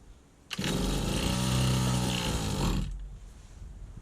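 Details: 1991 Victa VS19 straight-shaft two-stroke strimmer, carb just refitted: catches and purrs unevenly for about two seconds, then dies; fires but won't keep running, owner suspects the old throttle cable needs adjustment.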